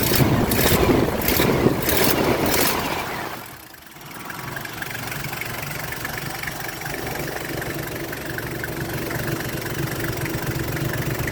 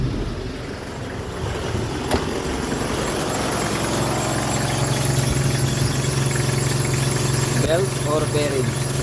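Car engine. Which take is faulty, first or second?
second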